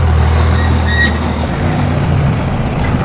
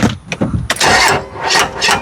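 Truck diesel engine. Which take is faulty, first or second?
second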